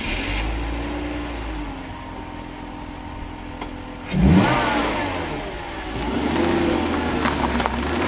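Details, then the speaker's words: BMW 325ti inline-six running with the airflow meter disconnected so that it runs properly on all six cylinders: steady, even note with one clean rev and a smooth return, no misfire, normal running. "dus hier gaan we naar start de flowmeter losgekoppeld zodat hij onberispelijk op 6 cilinders loopt en dan gaan we naar huis om aan het werk te gaan"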